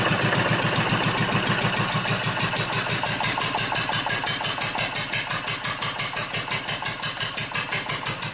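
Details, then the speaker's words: Old Wolseley stationary engine from Birmingham, England, once used for sheep shearing: steady firing about three beats a second, each bang sharp and even as the flywheel is pushed down to load it; strong torque, running healthy. "There we go, it makes her sound nice, eh? So that was quite a bit of force I was putting down there, so she's got lots of torque."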